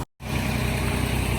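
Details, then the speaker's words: Semi truck diesel at a steady even drone held above normal idle, no misses or knocks, because a DPF regeneration is running. "Man, I'm doing a regen right now. That's why y'all hear it revved up like"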